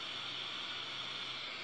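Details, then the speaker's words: Chinese-brand CRT TV chassis after repairing a faulty IC that caused a dominant red/yellow/green/blue picture; picture now good but audio still gives a steady high-pitched hiss with nothing underneath, cause not yet found; non-original flat-screen tube fitted. "gambar sudah bagus tapi sekarang masih dosis ya oke sekarang gambarnya masih bagus tapi suaranya masih desis"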